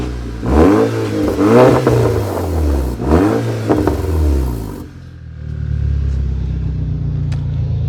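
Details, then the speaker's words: Warm engine with 130,000 km, no oil leaks, sealer on rocker cover: three clean crisp revs rising and falling smoothly, then steady even idle; healthy, responsive normal revving. "i mean it's running really nicely i'll give it a rev let's hear how it sounds"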